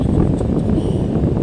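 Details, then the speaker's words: School stand electric fan, previously humming but not spinning from a stiff, seized bushing, after cleaning and WD-40 lubrication, on speed 1: strong steady rush of air, even hum, no scraping or wobble; normal running after repair. "Oh ayan napakalakas na oh ang ganda talaga ni ate"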